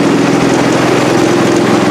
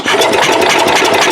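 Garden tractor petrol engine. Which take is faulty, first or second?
second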